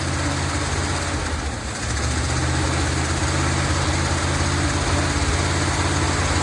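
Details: 1970 Dodge D200 V8 truck, received as a gift, started on brake cleaner: uneven, lumpy idle with a loping beat and a stumble, running rough and likely lean. Owner suspects a vacuum leak, since many vacuum hoses are plugged off with screws.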